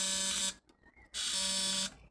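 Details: Jumbo-scale Edgar T. Westbury Wyvern open-crank model stationary engine, probably built around 1985, bolted to a workbench, with a buzz coil wired to the contact breaker on the side shaft: a sharp, high, steady buzz in two half-second bursts with quiet between. Buzz coil firing normally; timing near correct.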